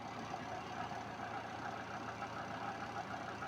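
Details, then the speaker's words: Twin-tub washing machine spin motor after capacitor check, tested unloaded: steady even hum as it starts and accelerates without problems, no knocks, scrapes or rattles; normal motor run-up. "Ahí está acelera bien ahí se escucha Cómo acelera sin problema"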